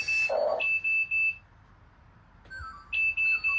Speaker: You can hear that beeping is letting me know that the battery is dead.